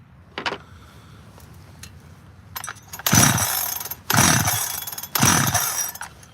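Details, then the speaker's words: 86 chainsaw after the high idle was backed off and debris was cleared from behind the clutch cover: three sharp throttle bursts about a second apart, each revving cleanly and returning to a settled idle. Normal running. "I backed the idle all the way off. It was high idle. Completely forgot about high idle."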